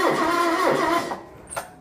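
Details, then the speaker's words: John Deere 185 cold start at about -10°, low fuel, battery light on, no charger connected: the starter whirs sluggishly for about a second, then dies with a click and no firing. Battery too weak; slow crank, no start. "doesn't have enough juice to start on its own so I'm just going to flip the charger on make sure it's on 12vt"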